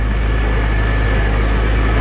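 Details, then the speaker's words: Farmall Cub farm tractor after Seafoam fuel additive, tank had rust problems, little run recently; deep, even engine beat with steady low rumble, no misses or stumbles, running true and healthy. "I don't think that seed foam is going to hurt any in fact you can hear it it's running true man"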